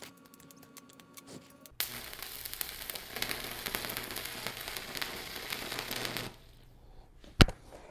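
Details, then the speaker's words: VEVOR MIG-130 3-in-1 welder, first-time stick welding with 6013 electrodes, ground on positive, current raised after poor arc: steady crackling sizzle for about four seconds ending in a sharp pop; a rough bead achieved. "there we go okay now we got something all right I mean it looks like crap but it's because I don't know what I'm doing I did get a bead going"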